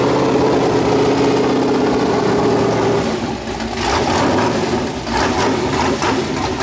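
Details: 408 LS stroker V8 on first start after build: choppy, loping idle about four beats a second, then short throttle blips; healthy big-cam engine, air-fuel around 13.3, possibly a touch lean.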